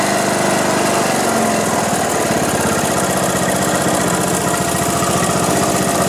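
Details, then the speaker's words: Craftsman LT1500 riding mower, sat in a barn for years and wouldn't run, now revived with the drive belt replaced; settles into a steady, even idle with quick regular beat, no misses or knocks, healthy. "but it's all said and done at least it was running she's been going all day long alright let's see let me crank it up for you real quick"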